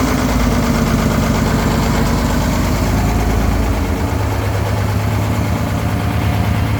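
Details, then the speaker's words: 1970 GMC Astro, Detroit Diesel 6-71 two-stroke, after 25 years off the road: deep idle swells then drops to a lower, rougher note around four seconds in; surging idle, cause unknown. "It's doing that same crap I was doing. Notice that surging."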